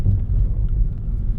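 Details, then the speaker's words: Mitsubishi Xpander (FWD, about 90,000 km) driven over uneven concrete after front suspension and steering repair: only a steady low road rumble with no knocks; the earlier knocking over rough concrete is gone. Quiet suspension. "Sebelumnya kan kalau jalan beton bergelombang suka kelakak-kelakak nih. Sekarang udah aman."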